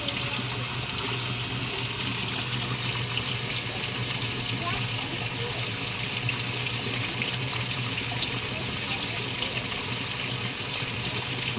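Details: Panasonic automatic washing machine after repair of a no-water-inlet fault, test fill at low water level: steady, even rush of water into the tub with no sputter or surging; the inlet valve is filling normally.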